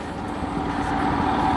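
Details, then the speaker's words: 2022 BS6 Royal Enfield Himalayan, riding to run the fuel tank empty for a mileage test: engine note varies and surges with no throttle response as it runs out of fuel, about to stall. "Okay, உங்களுக்கே தெரியுது இந்த sound variation இருக்குது, throttle response இல்லை. So again நிற்க போகுது."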